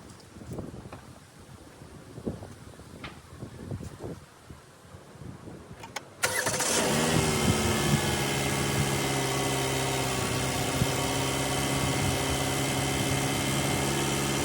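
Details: 2016 Chevy Malibu just after alternator replacement, multimeter on battery: quiet clatter, engine fires instantly and holds an even, steady idle with no misses; healthy start, charging 13.2–13.6 V.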